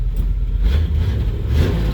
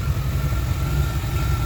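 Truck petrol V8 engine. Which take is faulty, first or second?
first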